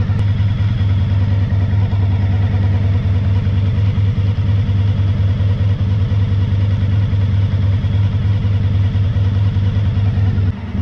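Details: 1985 VF1000R after carb cleaning and balancing fixed a poor idle from years of sitting. Header temperatures are checked so that all four cylinders are fueling at idle. Steady, even idle with no stumble or miss, all cylinders firing cleanly.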